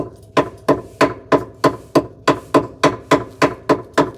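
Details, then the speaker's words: Original roughly 40-year-old 2CV rear suspension arms tapped with a hammer to check for rot: sharp clean taps about three per second, crisp ringing with no dull crunch, hammer not going through; solid suspension arm. "yeah I think they're certainly not making impact or going through so that's good"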